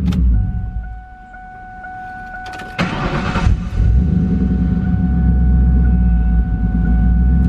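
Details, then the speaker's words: Project car "Turdzilla" on jack stands after fuel filter replacement for progressive start and stalling problems: chimes, then the starter catches and it settles into a steady even idle. No stalling, no fuel leaks. Normal start and idle. "so the car does seem to be running really good we don't have any fuel leaks"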